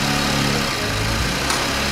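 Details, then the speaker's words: Infiniti Q50 VR30 engine, first startup after timing chain replacement, coolant not yet added: steady even idle with a smooth low hum, no knocks or ticks; normal idle. "like it's running just fine yeah it's running good that's a good sign"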